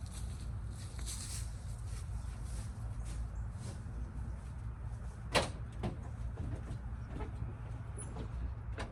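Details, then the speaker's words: 1978 Ford dump truck V8 after installing new starter, new starter solenoid and new battery cable: brisk, even deep cranking with no dragging; fastest it has ever turned over, curing a years-long slow-start problem. "So, I've had the truck like three or four years and it's never turned over that fast."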